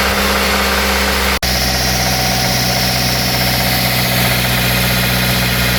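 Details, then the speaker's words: 2008 Suzuki SX4 with 2.0L J20A 16v petrol four-cylinder: constant metallic bottom-end rattle at start and when revved, rod bearing knock; connecting rod bearings and head gasket to be replaced. "so this car had a bad rattle noise uh the bottom in it's a baring noise when we start it so we start the car so not the link when you up the 200 RPM they got getting rattling"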